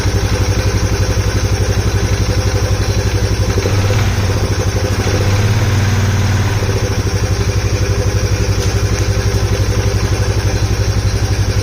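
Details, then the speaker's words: Polaris Sportsman 570 single-cylinder on first start, lid off: idles about three beats a second with loud hollow sucking intake noise over exhaust thump; unclear if normal with lid off, earlier backfire through intake. "it's making an intake sound that I don't normally know if that's if it sounds like that because this lid is off and I don't have the lid"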